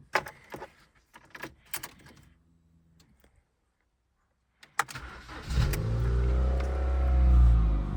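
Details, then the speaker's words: 2006 Ford Fiesta petrol four-cylinder, before a spark plug change: keys rattle, the engine cranks and catches, then the idle swells higher and lower instead of holding steady. Fluctuating idle, cause unclear. "So it is a little bit higher, lower, and the"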